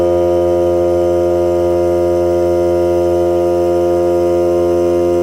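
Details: Hart cordless battery air compressor filling the tank: steady, even motor hum at one pitch with a faint regular pump pulse; took three minutes to fill and cut out at 120 psi; normal compressor running.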